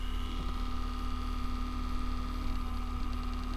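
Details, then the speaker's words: Acer Aspire E1 (Q5WPH) laptop after disassembly and cleaning, under load at about 60 °C: steady low hum with constant higher whine as the cooling fan spins up; quieter than before but still unpleasantly noisy. "вот при нагрузке 60 градусов он начнет раскручиваться конечно потише чем раньше ну сторону шумит неприятно"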